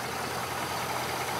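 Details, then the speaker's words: 2006 Chevrolet Silverado Z71 V8, reported for a clunk when stopping and a noise under hard acceleration, idling partly warm: steady, even idle with no ticks, knocks or rattles; nothing alarming heard. Transmission fluid mostly black. Normal idle. "that idle I'm not hearing anything too alarming"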